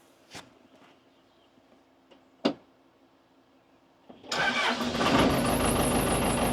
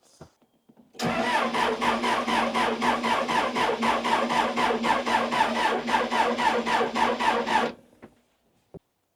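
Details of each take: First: Neglected Case 580 Super L backhoe diesel, jumped from a car: a couple of clicks, catches at once, steady run; bad belt squeal, tensioner thought to be toast. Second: Neglected Case 580 Super L backhoe diesel, unused for a long time, cranking with fuel filter bleeder loosened: steady cranking about four compression beats a second for six seconds, never catches; air in the fuel system.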